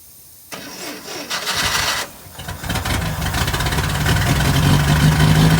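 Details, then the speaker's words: 1969 International Scout, sat for years, first start: cranks, catches, stumbles, then an uneven lumpy run; carburetor issues, dirty carburetor later cleaned out. "I think we've got some carburetor issues but it runs well that's good"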